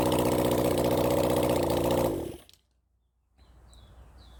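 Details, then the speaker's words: Honda CB400 Four engine on a bench run during carburetor balancing. Uneven, stumbling idle before cutting out, blamed on one unhappy ignition coil pack: engine misfire at idle. "you'll probably he this bik got quite a bit of a misfire suddenly it picked up"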